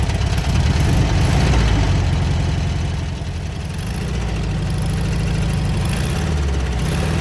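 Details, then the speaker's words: 1967 VW Beetle flat-four revived after long storage, with valve train now corrected: deep lumpy idle with a repeating knock about three times a second, clearly from cylinder 1 and pulsing through the carburetor; cause not confirmed. "You can hear that knock. Definitely on cylinder 1. It's pulsing through the carburetor pretty bad too."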